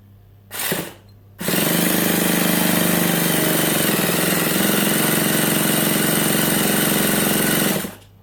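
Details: Nitro RC car engine, primed beforehand: a short starter blip, then about six seconds of even, rapid cranking buzz with no firing and no pickup in speed; the engine won't start.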